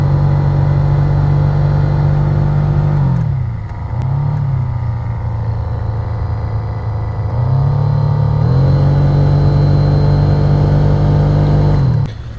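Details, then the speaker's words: 2016 Honda HR-V blower motor packed with rodent nest debris and insulation: it spins incredibly slowly and wobbles, with a rough hum and a tick about four times a second, slowing and restarting. The blower motor was replaced. "you see all that crap in here that's the artwork of a rat or i don't know a mouse a rat a squirrel something got in here oh yeah that's where all the noise comes from and the speed is incredibly slow"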